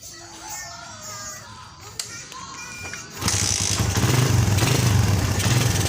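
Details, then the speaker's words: Suzuki Satria FU that stutters and won't take throttle, after new spark plug, before carb cleaning: engine catches with uneven, lumpy low thumping that won't smooth out, unchanged; engine stumble. "Dan ternyata masih tetap sama, belum ada perubahan."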